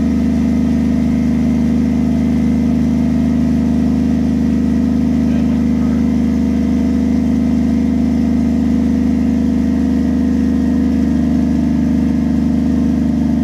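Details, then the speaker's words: Toyota 1JZ-swapped Lexus IS300, restart after replacing a failed coil pack; smooth steady six-cylinder idle, even low drone, no misfire stumble; normal idle after repair. "so yeah that sounds way way better wow oh [ __ ] perfect would you sound so good yes it does"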